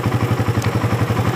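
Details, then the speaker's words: Suzuki Satria FU motorcycle after repairing the starter dynamo, the cause of its clicking no-start rather than the switch: even single-cylinder putter at idle, about eight beats a second, no knocks or rattles. Normal idle. "motor sudah nyala pada saat saya tekan tombol starnya berarti penyakitnya ada di bagian dinamo starter guys bukan dari switch atau"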